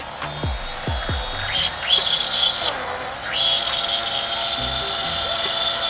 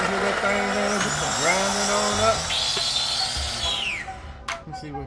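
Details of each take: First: Blender crushing ice with sweetener for a smoothie: a few low thumps, then high gritty whine dipping and recovering as ice loads the blades; normal grinding. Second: let me see something didn't grind down there let me [Music] see might be the ice CH that little ice over there at the bottom that's what it is the ice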